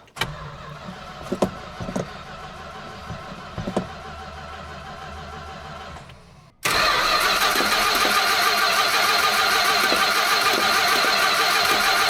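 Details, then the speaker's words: 1967 Plymouth Fury VIP, just after oil change and belt replacement (gas cap also changed; one wire found partly melted): long steady starter grind at about three turns a second that never catches; owner suspects it isn't getting fuel, cause unconfirmed. "I don't get it. And she's acting like she's not getting any fuel or something. I'm bamboozled."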